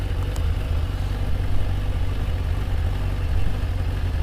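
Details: 2004 Kawasaki ZZR 600 inline four started after carb cleaning and tank cleaning, before a test ride; steady even low burble at idle with no misses, knocks or hunting; normal idle.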